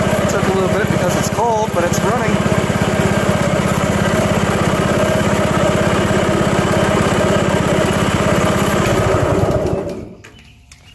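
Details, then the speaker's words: Self-propelled lawn mower after spring tune-up (oil, spark plug, Seafoam), cold at about 40°F, choke held longer: single cylinder fires in a quick, steady rhythm about ten seconds, then winds down and stops; runs clean, normal idle. "but I'm sure on a mild summer day it should probably be running nice and quick but sounds good idles good and got up to speed"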